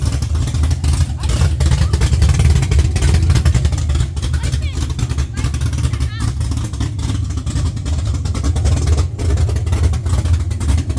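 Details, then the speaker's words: LS-swapped Chevy C10 on Holley Terminator X, first start after sitting 3 years: deep, even V8 rumble that rises cleanly when revved and settles back smoothly; starting and revving normally. "Huh? You revved up. Y'all sitting the pedal."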